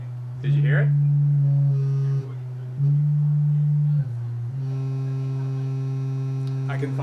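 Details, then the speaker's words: 1990 Mazda Miata door speaker with tone-generator test tones: steady low tones with rattly edge on some notes; the tweeter crossover box stuck inside the door is vibrating, stops when held. "That little box that I had to put in here, the crossover that separates the mids from the highs of the tweeter, there's a box in there. Anyway, I stuck it to the inside of the door, but it's vibrating."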